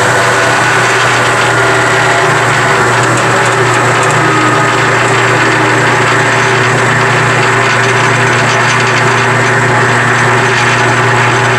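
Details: Powermatic 87 bandsaw, year unknown, running in neutral without the blade swinging after the loose main drive pulley was refitted with set screws; smooth even hum, steady drone, no knocking or rattle, drive running quiet and healthy.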